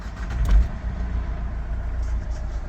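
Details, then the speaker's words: 2008 Opel Zafira diesel, cold start: brief starter churn, then it catches at once and settles into an even low idle clatter. No smoke, particulate filter in place, no error lights; a clean, healthy start. "супер завівся не димить не коптить"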